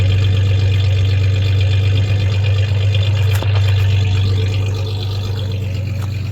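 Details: 1993 Ford Ranger 3.0 V6 at idle: deep steady idle with an uneven beat, roughly four stumbles a second, one cylinder misfiring, suspected cylinder 3.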